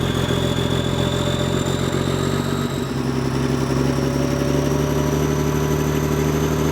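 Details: Semi truck that sat about 23–30 years, cold start after first revival: steady, even diesel rumble at idle with no misses, knocks or stumbles. The engine is running healthy.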